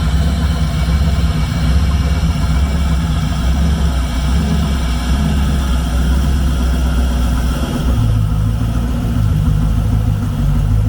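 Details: 1999 Ski Nautique, 5.8L GT40 V8, new alternator belt just fitted, still very tight before final tensioning: deep, even V8 rumble at steady idle with no squeal, chirp or slap from the belt; running healthy.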